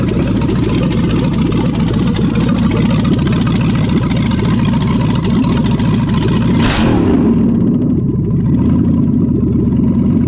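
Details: 5.3L LS V8 on an engine stand, first start with external inline fuel pump and 58 psi regulator: catches and runs with a strong, even roar, then settles to a lower, steadier note; normal running.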